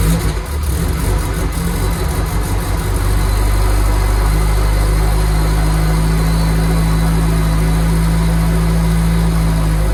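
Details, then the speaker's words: Nissan S14 just brought back to running on fresh 93 octane, still untuned, with a deep, loud, loping raised idle after revving. Exhaust pops from untuned engine. "So, y'all just saw. We got a running car. So they actually did do decent. Obviously, it still needs to be tuned. You shouldn't really be revving it that much."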